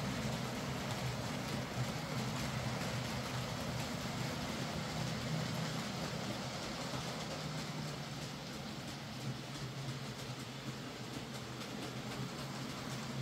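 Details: Hornby J15 model loco, slow and noisy since new about two years ago; after new motor fitted and worm gear regreased, soft even hum with light wheel clatter, steady, no whirring: running a lot quieter and smoother, normal.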